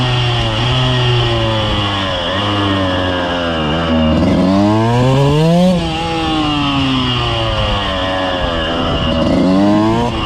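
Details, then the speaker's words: 2000 Suzuki RM125 two-stroke on first ride after cleaning and carb adjustment: buzzy engine spits and sputters in first and second gear, mid-range to full throttle, clearing from third; clutch also seems to be slipping, owner unsure if related. "and then second gear will kind of open up a little bit and then third and there's open but first and second they're they're sputtering foreign"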